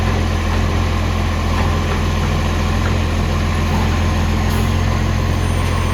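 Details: Ex-Canberra vehicle 728, diesel, idling with a loud, uneven puffing chuff three or four times a second over the low rumble: a loud, blowing exhaust leak.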